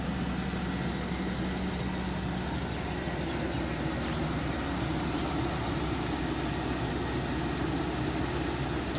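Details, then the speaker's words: Chevy Tahoe with about 338k-mile engine, several days and miles after the lifter and rod repair and engine work, running 5 quarts oil plus 1 quart Marvel Mystery Oil: smooth, even V8 idle with a steady rumble and no knocks or ticks. Sounds like new. "Put a bunch of miles on it. She still sounds beautiful. Sounds like it did when it was brand new."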